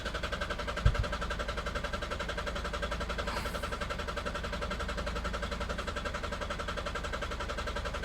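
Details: 2003 Ford Galaxy 1.9 TDi PD diesel that starts only after very long cranking and cuts out; battery a bit flat. Even cranking about three turns a second, spins but never fires; fuel pressure suspected.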